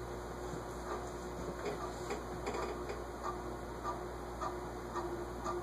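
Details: SMC A52 vintage ceiling fan: quiet regular light ticking a few per second over soft hum, still rubbing, sounds like the top; owner suspects scraping on the bearing, unconfirmed until disassembly.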